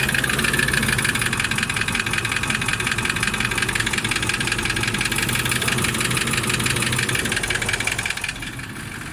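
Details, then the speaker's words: Toyota 1VD-FTV diesel (200-series) idling: sharp, fairly irregular metallic knock about three per second; oil-cooling jets found in the oil pickup after pan removal, so the fault is pistons or bushings; engine pulled for rebuild. "Поиск причины стука. Мы видим, что в маслоприемнике все находятся форсунки маслоомывающие и охлаждающие. Соответственно, проблема либо с поршневой, либо со втулками."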